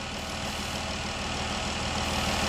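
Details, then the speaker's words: 2012 Dodge Durango 3.6L Pentastar V6 after replacing the roller rockers with loose needle bearings on one side, phasers not replaced: even, steady idle with regular firing pulse and no ticking; ticking gone, normal idle. "i gave them a charge to fix the ticking all right the ticking is now gone okay"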